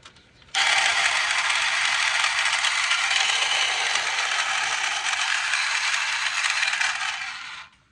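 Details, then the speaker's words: Pump being used during a power steering pump change to drain fluid: harsh, raspy rattling buzz held steady for seven seconds, not drawing fluid. Owner suspects gas used earlier to drain a tank ate its seals. "I mean, it sounds like crap and I ain't getting it to suck it."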